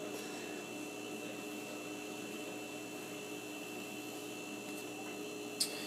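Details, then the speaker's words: Kenmore Elite side-by-side refrigerator whose compressor had been clicking off after seconds, suspected overheating, now running after a Supco 3-in-1 start device was fitted: quiet steady hum, faint even whine, no clicking or cycling; normal compressor running. "looks like the fans running it sounds like the compressors running feels like it's moving in there"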